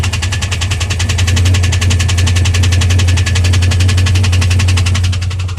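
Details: 2001 WS6 LS1 5.7L V8 at idle after running out of oil (pressure dropped from 30 to 0 when shifting) and refilling: a sharp, even tick about three per second rides over the idle; cause not pinned down.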